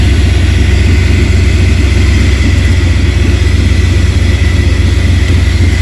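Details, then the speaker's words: 1994 Ford F-150 with a new alternator, positive battery cable disconnected: a loud, even engine drone holds speed without bogging or stumbling, so it runs on the alternator alone and the alternator is good. "And as you can see, it's still running fine. It's not the alternator."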